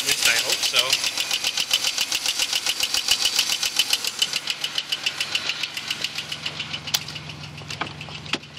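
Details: 2001 Pontiac Grand Prix GT at idle: sharp light ticking about three and a half per second from the top end, suspected lifter tick; cause unclear.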